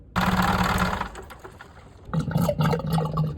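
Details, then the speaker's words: Boat diesel that had salt water in its oil via the exhaust, after fitting an exhaust vacuum breaker: two wet gurgling slurps at shutdown show the breaker opening, so seawater is not sucked back; valve working. "If your engine is slurping, um, if it is slurping , then the valve is still OK and functional. If at some point it no longer slurps, then you should check that it continues to work since we installed the vacuum breaker"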